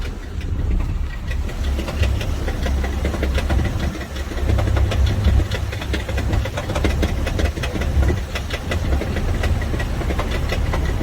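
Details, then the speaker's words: Van idling at rest with a dull low rumble and crunchy rattling knock; suspected flywheel fault, not confirmed. "that is a flywheel poor guy come on down to Brothers Motors we can take care of that for him I can hear a crunchy noise while it's sitting down"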